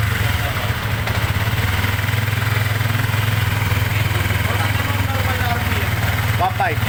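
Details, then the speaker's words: Sniper 150 after rebuild for excessive engine noise (timing chain, bearings replaced), RPM back to normal: steady, even low idle thrum, no clatter or grinding. Normal idle. "lang. Oo. Ayan na. Back na naman normal."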